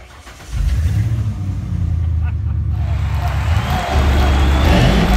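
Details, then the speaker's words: 1996 Ford Bronco after fuel pump replacement: the engine catches within half a second and settles into a steady, even idle with no misses or knocks; normal start and idle. "now you hear that beautiful sound I did it I'm so proud of myself right now back on the road"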